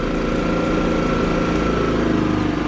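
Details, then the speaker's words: Kipor IG3000/IG3500 inverter generator after replacing its inverter board with a Champion generator board: steady even engine drone lifting smoothly with throttle and settling back without hunting; running normally with output restored. "it's a generator again we have our output if you have a listen he throttles up really smooth"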